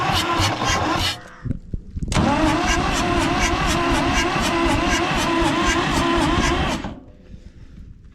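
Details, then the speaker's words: Fire-damaged Ford 4000 diesel tractor that sat 20+ years with a faulty injection pump, full throttle, cranking: the starter turns it over evenly for about five seconds without firing. The fuel shutoff rod appears stuck in the stop position, so likely no fuel gets through. "okay so I think I might have solved the mystery of her lack of fuel this is the rod that is attached to the Future shutoff as you can see this stock in the eye position"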